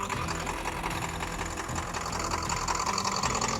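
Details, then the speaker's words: Powerstroke diesel F350 dually being bled, with injector cleaner added: uneven, lumpy, loping idle near 160 beats per minute with some knock, truck and coolant reservoir shaking; rough idle. "I don't know if you can see how much the truck the truck's shaking cuz it's running rough, but like sounds like it's got a big old cam in it."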